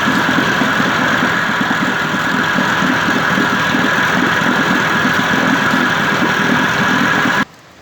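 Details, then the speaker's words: 1958 Evinrude 18HP Fastwin two-stroke outboard with replacement powerhead and cleaned-out, formerly very dirty carburetor. Fast, even idle with no stumbling, then clean cut-off at the end: normal running. "Surprisingly, I still can't believe this carburetor works."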